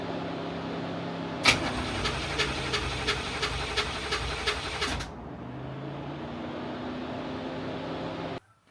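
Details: Widebody C4 at night after new connections, with cylinders 5 and 6 exhaust valves found stuck open on leak-down: starter cranks, the engine catches and runs briefly on throttle, then dies as the throttle eases off. Stalls when throttle released; cause suspected, not confirmed.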